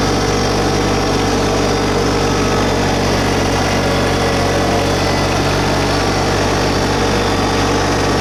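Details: New 2022 LS MT125 tractor with about half an hour on it, diesel at idle brought up a little with loader and mower deck raised. Steady even drone, no knocks, misses or surging; sounds healthy, normal running.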